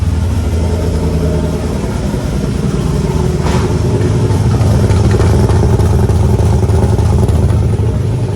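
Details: Freshly installed replacement LS1 V8, first start after the old engine threw a rod through the pan, fuel system primed: deep, choppy, uneven lope at idle with no clatter or knock; healthy engine with an aggressive cam.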